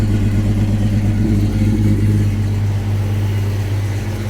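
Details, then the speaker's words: Jeep XJ with a hard-start-when-cold problem since 2016, started after sitting 24 hours: uneven, stumbling low chug right after the cold start that gradually smooths to a steadier idle; fuel pump assembly suspected, not confirmed. "crap then eventually it clears up once it gets to this point it starts every [Music] time"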